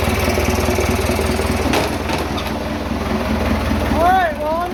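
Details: Vintage "77" diesel tractor that wouldn't start after sitting two days because its tank was empty. Refuelled, it restarts cleanly into a steady, low, even chugging idle with no misses or knocks.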